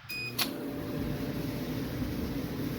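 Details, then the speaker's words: Steady low drum rumble with a faint hum and no squeak from a Maytag 2000 series MCT electric dryer (PN MEDE200XW1) after a full teardown repairing the drum bearings and rollers; running normally, and heat confirmed. "Look at that, no more squeak. Well, not really looking. Listen to that, no more squeak."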